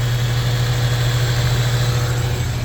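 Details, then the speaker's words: Honda Civic EF sedan after timing belt work and valve lapping, which had earlier screeched like a belt and died: it started right up and idles with a steady, even low hum, no knocks or ticks: normal idle. "started right up sounds good could drive it in but I'm going to do this while I try and recreate that sound try and get it on tape if it happens"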